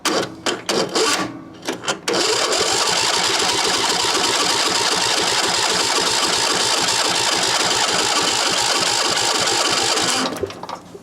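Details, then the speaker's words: Craftsman lawn tractor, 22 hp Briggs & Stratton V-twin, no-start with fuel-pump pulse problem: about 8 s of slow uneven dragging cranking, no catch; fuel now flows but battery is dying. "well that was the problem we got fuel now we got a battery that's dying so i better put a charger on it"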